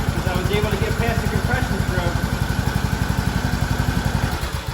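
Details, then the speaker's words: Craftsman T2600 mower, 19 hp single-cylinder Briggs & Stratton Intek, new battery: once cranked past compression it runs with steady even thudding, about four beats a second, no misses or knocks; restarts fail because the camshaft compression release is bad. "it so it it sounds perfectly fine let's try to start it again"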